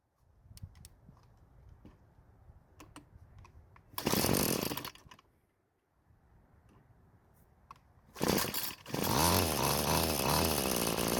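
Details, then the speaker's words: Free curbside Bolens string trimmer that wouldn't start, running while the carb fuel screw is turned counterclockwise after clockwise killed it: short rev burst, pause, then an even high buzz that never climbs; fastest setting never found, low top speed. "what i did was i turned the screw counterclockwise to find when the engine was running the fastest but i was never able to find it"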